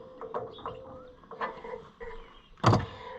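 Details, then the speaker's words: Cushman Truckster auction find being revived: electric fuel pump switched on, with steady midrange hum and light ticking under some clatter as fuel comes through the bypass hose. Pump operating normally. "we should see some fuel come through that bypass [Music] hose and there it goes"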